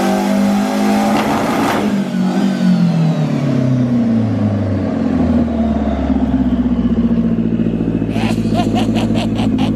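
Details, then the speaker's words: Frankenvette (Chevette-based hybrid) on the dyno during MegaSquirt tuning, full-load pull: revs climb steadily without stumbling, then bounce off the limiter; the earlier fault did not recur and it pulled through cleanly. "did not do it. And it pulled through it. It pulled through it."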